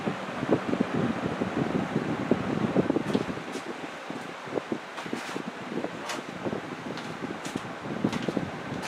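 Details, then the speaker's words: Old rusty table fan restoration, after oiling the motor, on low speed: soft even airflow rush with low steady motor hum, no rattle or ticking; much quieter, normal running, though thrust washers are still needed. "Oh man, even without them, it's so much quieter. Wow. So, just oiling it made all the difference there. Cool. It's quiet, but man, does it throw a lot of air."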